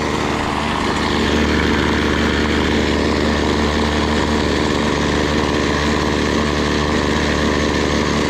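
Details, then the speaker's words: BC 2500 LE two-stroke trimmer, after the idle was turned down: a smooth, constant low-buzz idle with no hunting or misses, and the head no longer spins. Idle is now correct. "About good. Idling, that's not spinning."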